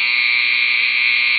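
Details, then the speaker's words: Andis T-Outliner clipper after magnet/arm gap adjustment, nut loosened, arm rocked slightly and retightened: strong, steady high-pitched buzz, perfectly even with no chattering or flutter, not too weak; normal clipper run. "then back up ah that sounds good nice and strong not chattering not too weak not too far"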